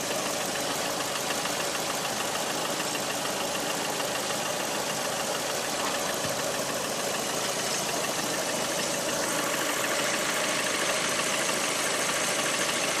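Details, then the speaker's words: Lada Priora 126 engine, hot idle: hollow, diesel-like knock repeating steadily at engine speed over a hissy background. Service diagnosed worn piston groups needing replacement; pulling the cylinder 4 coil stopped the knock when cold. After repair the knock was gone; car sold at 100,000 km. "Ну, вы можете услышать этот характерный звук, похожий на дизельный. Он едет как трактор."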